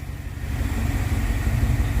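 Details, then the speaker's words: Rebuilt Dodge 318 Poly V8, cold start after sitting a few hours, no choke: deep, even burble at idle with steady firing and no misses or ticks; smooth, normal idle. "this thing's just purring like a kitten I am unbelievably happy with this"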